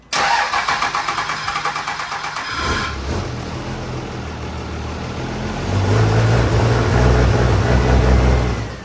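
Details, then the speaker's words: Freshly rebuilt 2nd-gen Cummins diesel, second startup: steady cranking about four beats a second, then it catches and runs rough with uneven pops out the exhaust as revs rise, check-engine light back on; camshaft position sensor code. "Okay, second startup did not go very well either. Engine light came right back on and started popping out the exhaust again. Ran the codes. We have a camshaft position sensor code, so I'm going to check that out."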